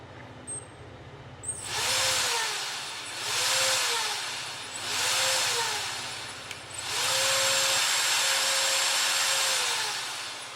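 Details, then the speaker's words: Known-good brushless mini-quad motor on a simple tester (ESC, servo tester, 2S/3S LiPo): clean whine that climbs and falls as the dial is turned, smooth with no rattles; motor running healthy. "so here you hear the motor starting up as you would when you co get up with an e SE"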